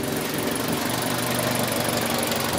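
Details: 2003 Toyota Corolla with intermittent rough running and power loss, code P0301: petrol engine idling with a slightly uneven, stumbling beat; cylinder 1 misfire stays on cylinder 1 after swapping coil and spark plug, injector suspected next.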